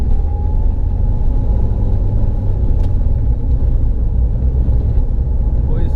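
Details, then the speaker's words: Mahindra XUV500 6-speed manual gearbox after complete overhaul (clutch already replaced by customer), road test pulling in gear: even low rumble, the earlier "huck huck" noise from the engine/gearbox side when pulling in second gear is gone; normal gearbox operation. "कोई आवाज नहीं पहले क्या होता था जब हम पहले गाड़ी गियर डाल के खीच करके एक साउंड आता था गियर बॉक्स यहां से अब वो साउंड नहीं आ रहा है"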